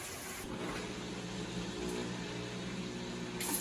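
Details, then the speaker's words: Avanti TLW21D2P portable washing machine after repair: steady low drain pump hum under a hiss of water flowing out, with no grinding or rattling. The machine is confirmed fixed and working; drain pump running normally. "Okay, so as you can see, guys, the pump is working fine, so the machine is working."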